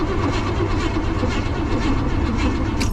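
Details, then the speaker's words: Vehicle on two jump boxes, brake cleaner sprayed into the intake: engine keeps turning over with an even, unchanging churn and never fires, not even trying to start; cranks but won't start, spark problem suspected, not confirmed. "Nope. That's strange. Didn't even try to start. So we might have a spark problem."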